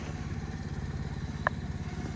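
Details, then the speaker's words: 2011 Microcar M-Go SLX, 505cc 20bhp two-cylinder petrol, CVT automatic, recorded from outside the car: low, even, quiet chugging at steady beat, no ticks or knocks; normal idle. "It is actually quite quiet when you're out here, as you can probably hear,"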